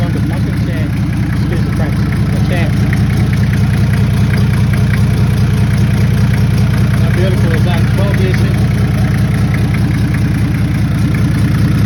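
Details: Toyota 1HZ diesel in a 75 series LandCruiser parked 12 years, first run after priming and glowing; steady, even idle clatter about two and a half beats a second over a deep rumble, smooth and settled; normal diesel idle.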